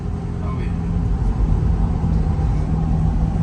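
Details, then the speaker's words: Chevrolet Corvette C8 driving after transmission replacement, fully torqued: smooth low drone with road rumble, no whine, clunk or grind from the gearbox; normal driving. "but in the end it's so worth it no funny noises or anything"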